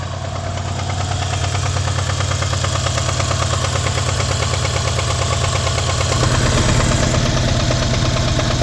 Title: 2012 cls550 engine knock no cel seems to be coming from passenger side of the motor